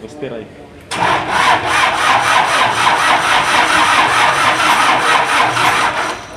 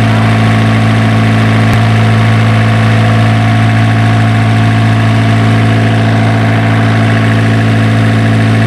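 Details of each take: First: Isuzu diesel generator engine with a hard-starting problem: the starter turns it over in an even rasping rhythm, a little over two pulses a second, for several seconds without firing; slow, long cranking. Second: Isuzu diesel generator engine, previously hard-starting, now running after troubleshooting: a smooth, even idle with a steady low beat of about three and a half pulses per second and no misses or knocks.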